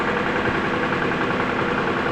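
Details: 2014 Jeep Patriot with 14k miles at idle: dull repetitive knock under the running noise. A quick oil change service left the oil filter loose; rod knock.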